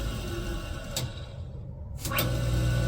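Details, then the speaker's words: 1977 Wissota S8-B grinder, motor run without disc or cover: light dims at start, brief quiet then fast spin-up with little inertia, steady low hum, no rubbing or grinding; normal spin-up. "Spins up quicker because there's no inertia, with the very little inertia, just the motor."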